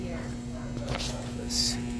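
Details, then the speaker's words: 2012 Carrier heat pump outdoor condenser not cooling: steady low electrical buzz from the contactor with the disconnect in, compressor and fan not starting; tech suspects a bad capacitor (old 45/5 µF dual run capacitor). "the tenants are saying they're hearing some buzzing come from the unit sounds to me off RP like maybe a a buzzing sound come from the the contactor"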